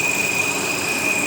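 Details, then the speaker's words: Volvo XC60 3.2 at idle: a steady, piercing high whistle over a smooth idle, appearing when something is closed, which also stops the rough shaking; with it opened, the whistle goes but the engine shakes. "И подколбашивает. Закрываешь, появляется свист,"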